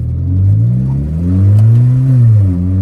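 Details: 2012 Hyundai Veloster with the bottom of the headers disconnected: a loud, raspy, blatty rumble rising and falling with throttle blips, little different from before work on the second part. Exhaust leak.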